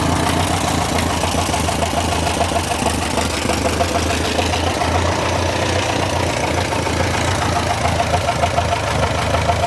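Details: Massey Ferguson TO35 tractor after engine rebuild: light, uneven top-end ticking above a low, steady idle; engine ticking remains after rebuild, source unclear.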